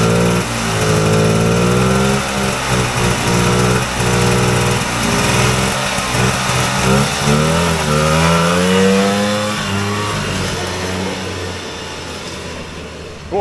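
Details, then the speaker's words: Vintage Polaris Colt single-cylinder two-stroke race sled after tune-up: strong, steady buzz holding an even rhythm with slight rise and fall; sounds much better than a week earlier, running clean and well tuned. "that sounds so much better than it did a week [Music] ago"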